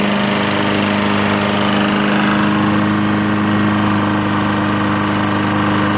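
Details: Lawn-Boy Insight 10682 mower, Tecumseh 6.5 engine, after cleaning water-contaminated fuel from the tank, blade spinning and very low on oil: steady, even drone at constant speed with no misses or knocks, running normally.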